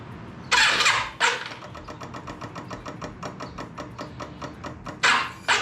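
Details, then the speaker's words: Yamaha Virago 535 on a stand, first start attempt after carburetor rebuild, bigger jets and fixing a gas leak; sluggish evenly spaced clicking about five per second, starter labouring, no catch: slow cranking, owner says battery is dead. "Uh-oh. Looks like the battery's dead. Of course, it's my luck. The battery's freaking dead."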